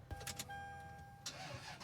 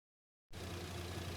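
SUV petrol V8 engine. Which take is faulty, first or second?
first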